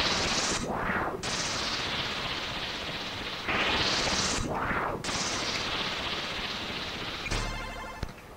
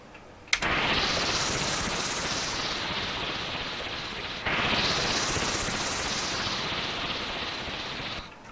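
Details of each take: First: Commodore C128 SID sound chip tested in a C64: harsh noisy bursts that swell and cut out with no clean tone or melody; the chip is dead and needs replacing. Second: SID chip sounding as it should, compared against faulty C128 SID: two matching hissing sweeps, each rising then easing over about four seconds, clean and undistorted; normal SID sound output.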